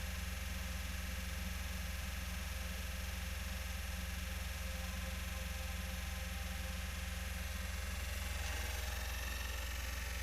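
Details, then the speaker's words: PS4 console makes a loud abnormal whirring hum with a steady pulse two to three times a second when a disc is inserted and the game starts; noise began suddenly the day before. "Na hora que coloca o CD, olha o arrebento que faz, cara. Começou a fazer esse barulho ontem, tá?"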